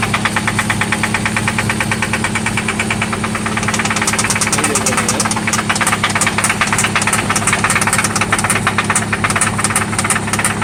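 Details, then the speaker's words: 1995 Toyota Celica ST after oil change and new spark plugs; sharp regular ticking knock about three per second over steady idle, louder partway, seeming to come from one spot; cause unknown; engine knock at idle. "It's loud. Oh yeah. This is what that sounds like. It sounds like it's only coming from here though."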